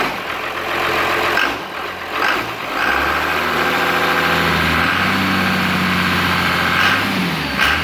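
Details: Cummins-swapped squarebody Chevy diesel truck started after installing dual plastic fuel tanks with one filler neck: brief crank, catches, settles into steady, even diesel clatter with no stumbling or hunting, doesn't seem lacking in fuel; normal idle.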